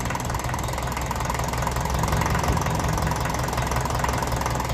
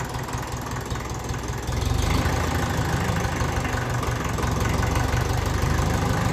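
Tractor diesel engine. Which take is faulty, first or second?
first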